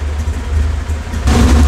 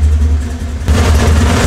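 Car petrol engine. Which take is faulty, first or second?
second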